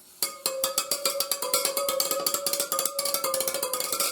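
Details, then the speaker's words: Front wheel spokes of a new 2023 Honda 150 dirt bike, struck with a punch while spinning the wheel: a rapid run of light pings all at the same clear pitch, showing the spokes are evenly tensioned. "See how they all sound pretty much the same? That'll let you know that they're all torqued within the same torque specs."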